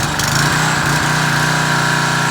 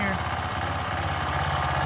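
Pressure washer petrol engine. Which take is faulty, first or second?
second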